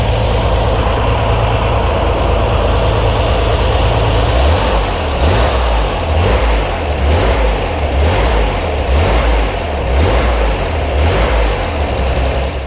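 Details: Corvair flat-six at steady, even idle with a couple of clean throttle blips that rise and settle smoothly, just after fitting a Ken Hand automatic belt tensioner making micro adjustments to keep belt tension; nothing slapping or squealing, normal running.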